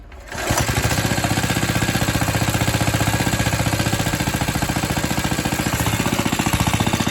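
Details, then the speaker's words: Atco Suffolk mower single-cylinder engine after the clutch was disengaged by rotating the wear plate. It catches and settles into a steady, even chuff of about 3.5 beats a second, running fine. "Really is quite a fiend, that clutch mechanism. It's either going or it's really going."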